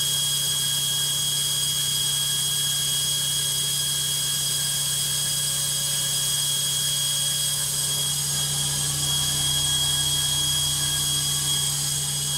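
Loud steady high-pitched roar with a whine on top, holding constant through the spin; the washer is noisy on high-speed spin, cause unclear.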